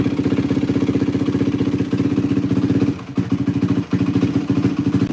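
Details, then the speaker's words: 2004 Yamaha WR450F single after carburettor rebuild kit, pilot mixture screw 2 turns out: quick, even thumping idle with brief dips around third second, then recovers; runs solid. Normal idle. "This thing's freaking running tits McGee right now. Yeah, this thing runs tits. Holy cow. Feels pretty solid."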